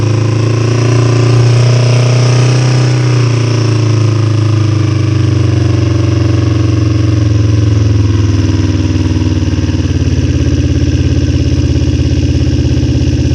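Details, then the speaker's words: 2005 Kawasaki Ninja 250 after rebuild, started cold on choke: fast uneven idle hunting every few seconds; owner suspects adjustment far off, possibly debris in fuel or dirty carb jet. "It's got to just work itself out a little bit right now with the car. We're probably so far off on actual adjustment because we've never actually ran it for a period of time."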